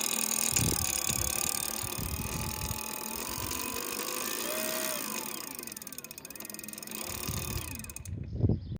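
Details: BBS02 mid-drive electric bike motor making a strange noise: a whine rising and falling with speed over irregular knocks and rustling.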